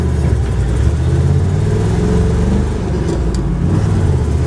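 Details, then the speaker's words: Original 1978 truck pulling away at quarter throttle, as from a stop sign in town: a smooth, deep V8 rumble rises evenly with no misfire, knock or hesitation. Normal acceleration. "just giving it quarter throttle you know just like you're driving through town and you know you come to stop sign and you're taking off"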